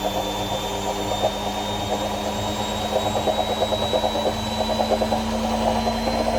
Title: My AEG Washing Wachine Rattling Sound